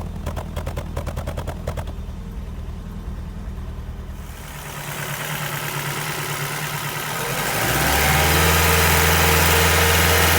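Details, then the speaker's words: Petrol engine idling while warming up, hunting and shaking with gaps in its beat from a returning misfire; the engine management light came on and a fault code was stored. "Right, it's running terribly. The misfire is back, but the engine management light has come on this time, so I'm going to shut it off."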